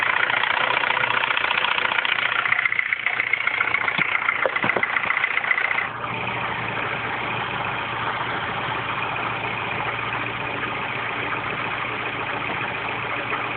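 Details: R56 Mini Cooper S cold morning start after timing chain tensioner change: steady idle with a fast light ticking and a faint high whirr early on; unexplained cold-start noise.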